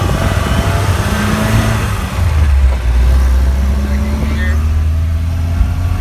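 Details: Drivetrain noise when coasting in neutral above 50 mph: deep steady droning hum under road noise; owner ruled out the throwout bearing, cause unknown.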